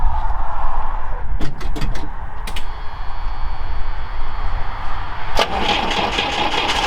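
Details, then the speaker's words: Carbureted UAZ 469, first start after sitting about a month, fuel primed: heavy lopsided low chug with no even beat, a misfire running on only two of four cylinders, leading to an ignition overhaul. "okay so it does fire up but it doesn't sound like we're running on all four"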